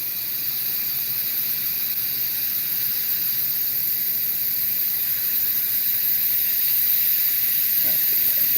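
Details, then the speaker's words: Refrigeration stepper-motor electronic expansion valve (about 255 steps full open to close), bench-tested with nitrogen, fan off; steady high hiss of gas slowly growing as the valve opens and passes flow; it modulates, leaks slightly. "So if I open this with it closed all the way, you still hear it hissing."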